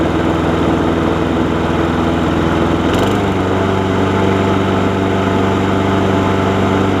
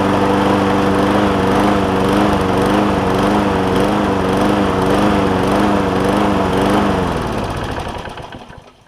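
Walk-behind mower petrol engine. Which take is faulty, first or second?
second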